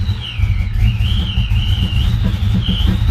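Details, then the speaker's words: Supercharged Fox-body Mustang V8, first start: rough, uneven idle with irregular pops and stumbling, wants to die; one cold cylinder not firing from a disconnected fuel injector, not the plug wire. "I tried switching out the wire, still had a cold cylinder. Oh, I had a cold cylinder, so one wasn't firing."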